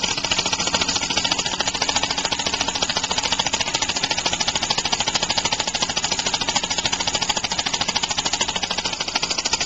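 Rapid hissy chuffing, about three beats a second, with an uneven, shaky pulse; flywheel out of balance and valve timing too early.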